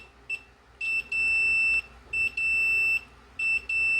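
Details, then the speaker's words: Multimeter on a fan's motor speed taps (black line, red first, yellow second, white third): repeated high beeps show continuity across all three speeds; windings intact, though a short is found on the line wire. "you can hear that there is continuity, third with first we see that there is continuity. Here we are hearing that the three speeds do have continuity,"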